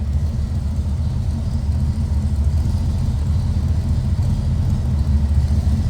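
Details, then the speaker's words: 1967 Ford Ranchero with a 289 V8 and aftermarket tach, just started from the cab: deep, steady rumble with an even lope and no knocks or misses, called a nice sounding V8; healthy. "Nice sounding V8."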